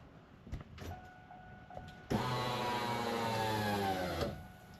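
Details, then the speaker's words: Trans Am LS-type V8 after fuel pump replacement (had shut off cruising at 63 mph): quiet garage, then engine catches and settles to steady even idle, no misfire or knock; normal idle. "that sounds good. So, we're back up and running."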